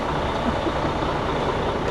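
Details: Freightliner diesel truck after no-crank no-start repair with two starters replaced: steady even idle with a low rumble, no misses, knocks or cranking struggle; normal idle, running again.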